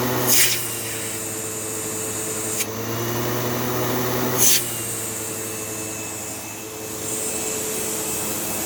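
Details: Sebo Automatic X5 vacuum with a half-full bag, using the hose: steady smooth motor hum with even airy rush and brief hose knocks; the suction motor sounds healthy with plenty of suction.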